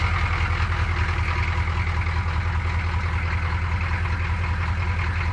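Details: 1985 M1008 with Detroit Diesel 6.2 V8, first cold start in snow after sitting a week: low diesel clatter at idle with uneven lumpy beat and slightly wandering speed; rough cold idle, cause unknown.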